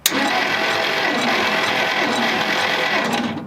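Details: 1957 Dodge Sweptside D100 V8, sat over 50 years, compression test with gauge while cranking. Fast, steady chattering crank about three to four turns per second, no firing: cranking during compression test.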